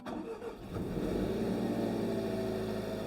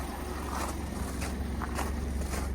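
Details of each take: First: 2020 Jaguar F-Type (X152) salvage rebuild, first start after refilling coolant and bleeding an air lock: quick crank, catches cleanly and settles into a steady, even idle with no misfire or gurgling from the cooling side. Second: Crashed 2020 Jaguar F-Type (X152) salvage rebuild, first start on old battery, no coolant, no air mass sensor fitted: low rumble with uneven pulsing, lumpy unstable idle; owner suspects missing air mass sensor causes it.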